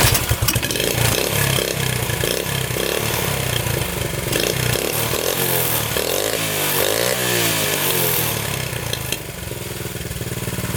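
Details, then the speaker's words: 1972 Honda CT70 single-cylinder, all-original auction bike being revived after a bogging issue, idling in neutral, running well with no smoke; even popping, briefly rising with a throttle blip and settling; normal idle. "Running pretty good now. No smoking."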